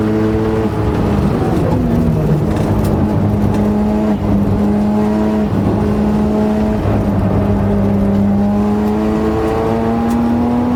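Steady whine over the engine that rises and falls with road speed; abnormal gearbox noise, cause not yet pinned down.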